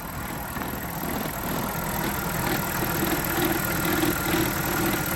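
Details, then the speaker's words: BMW E53 X5 (thought to be a 2004), back after a transmission service: steady whirring engine run with a faint, unsteady ringing tone on top. An abnormal noise from the engine, believed to be the alternator. "but but but we've got a noise coming from the engine and we're fairly certain it's the alternator"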